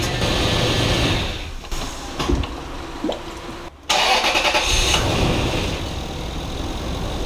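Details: High-mileage Lexus GX470 2UZ-FE on its first start after timing belt, water pump and valve adjustment work, with coolant just topped up: cranks briefly, catches and settles into a steady, even idle with no knocks or misses.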